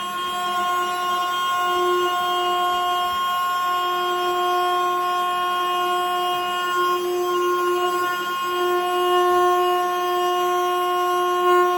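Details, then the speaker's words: 1937 Plymouth sedan on first ignition attempt: steady, unbroken horn blast at constant pitch without letup; horn stuck on. "I might get in there and hit the starter and she'll fire right up. Uh-oh. Horn blowing."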